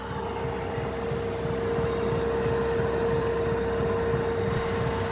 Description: Now have a super quiet fuel pump 👌